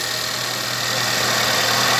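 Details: 2017 Ford Taurus that had no crank and no PCM communication, caused by a submerged socket pin in the computer connector. After restoring the pin and reinstalling the PCM, the engine idles smooth and even with a steady hum and no knocks or misses.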